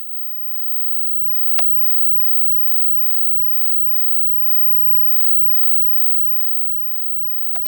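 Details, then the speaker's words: Motorola XM-701 B&W CRT monitor humming with a faint, steady high-pitched whine, showing high voltage is present. This follows a power supply repair where a blown cap was replaced. "that thing's humming right along so I I can tell this thing has high voltage now"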